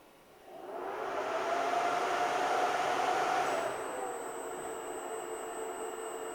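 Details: Alta Labs S48-POE network switch with its stock fans, before the swap to Noctua NF-A4x20 FLX fans: a loud, steady airy whoosh with a faint tone rises within a second, holds, then eases; the fans are noisy in a quiet room.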